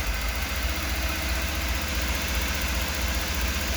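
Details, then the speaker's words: 1994 Ford E350 Club Wagon with a 351, cold, creeping forward in Drive under load: low, uneven thumping at about two and a half beats a second with hiccups and coughs; misfire, worse uphill, cause not yet found. "if I had more hands and I had more time I'd take it out on the road show but yeah especially going up a hill under load it uh seems to do it pretty dramatically this little coughs are just the most noticeable thing for the moment"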